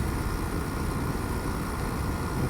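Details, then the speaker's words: Dehumidifier test run after a dab of solder repaired a broken connection on the circuit board. The compressor kicks in 5–10 minutes after the fan: a steady, even low rumble with a constant airy rush and no knocks or rattles. It runs smoothly and the line is warming. "So sure enough, all of a sudden, on she comes. I can feel it running. Can't necessarily hear it, but I can feel it."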